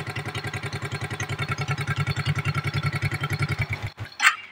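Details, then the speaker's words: Suzuki Smash 110 carbureted single-cylinder motorcycle that would not idle, after carburetor idle adjustment; starts on one kick, steady even putt about nine beats a second, no misses, then shuts off. Clean healthy idle. "Ya ini sudah hidup ya motornya sekali engkol hidup dan langsam juga enak"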